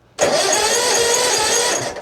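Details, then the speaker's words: 2004 Hustler zero-turn mower, blades off, safety switches working: steady fast starter cranking, engine never catches; no spark found at the plug, spark problem suspected. "I don't know how both spark plugs can just fail. H I'm going to pull out the other one real quick. But we are looking like a spark problem now."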